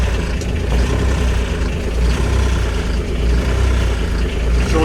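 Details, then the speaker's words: Kubota RTV900 diesel at -8°F on gelled summer fuel: a low, uneven, lumpy chug at idle, barely holding on while still very cold. The key is in glow-plug mode to preheat and push the gelled fuel through the lines. "so i'm keeping the glow plug on let's see if i can get this forced through if i can get it forced through it'll it'll take off on its own okay so i'm not restarting it i've just got it in glow plug mode to help heat it up"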